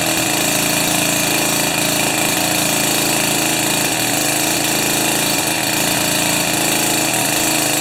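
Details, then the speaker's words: Jiffy 30 2-stroke 3HP ice auger on 30:1 fuel after carburetor work and J19LM plug swap: high buzzy idle drone, steady without stalling or sputtering; bottom shaft stops turning at idle, mixture now right. "and then on idle the bottom shaft just stops turning so i think i'm there"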